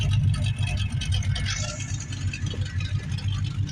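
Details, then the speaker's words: 2004 Monte Carlo idling after repair to warm up, gauges not working: steady low even idle with a smooth pulse, no upper cylinder rattle, valve train rattle or knocking; normal idle, though it is leaking oil. "ounds pretty decent though. I don't hear any upper cylinder rattle or any valve train rattle. I don't hear nothing's knocking down in there."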